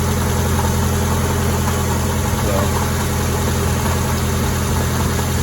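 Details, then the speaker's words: 2002 Mazda Protege 5 idling evenly after a temporary epoxy repair of an ignition part that was visibly sparking; no crackle or snapping now; normal idle. "like to me everything's running good though"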